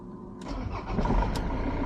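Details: Ford Transit Mk7 2.2 FWD after repair of slow starter (worse on cold mornings), suspension knock and hesitation (MAF, MAP sensor and EGR cleaned): short crank, catches immediately and settles to steady even idle; normal start.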